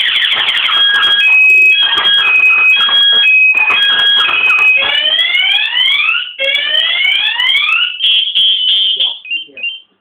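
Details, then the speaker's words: Kawasaki Ninja 650 aftermarket anti-theft alarm set to silent mode switches to loud warbling siren automatically when the key slot is forced; the bike can't be started, or dies soon if it does start. "สังเกตมั้ยครับเอ่อเมื่อกี้ผมระบบปิดเสียงแต่ถ้าโดนแทงกุญแจปุ๊บมันจะดีดเป็นระบบหนีเสียงอัตโนมัตินะครับแล้วเก็ไม่สามารถสตาร์ทได้นะครับ"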